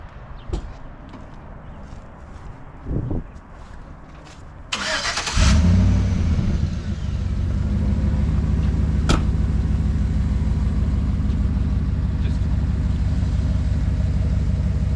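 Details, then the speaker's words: 2012 Chevy Silverado 1500 V8: the starter cranks briefly, then the engine settles into a smooth, even, deep idle with no knocks or misses. Healthy engine. "In all seriousness though, it runs, it drives. So, let's fire it up so you guys can hear. Cuz it actually sounds pretty good."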